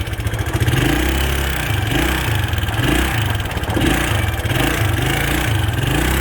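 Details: Early-1980s Suzuki LT125D Quadrunner 124 cc pull-start ATV after new carburetor, plug and oil: small thumps with fast light clicking as it revs and drops; intake and exhaust valves suspected to need adjusting.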